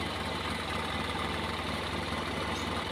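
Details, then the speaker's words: Honda Scoopy scooter left unused for weeks, possibly months, with no ignition; now running, single-cylinder putter ticking over steadily at idle without misses or stalling; owner suspects a remaining short near the turn-signal area. "oke Guys ternyata menyala ya motornya ya cuman permasalahnya sepele ya"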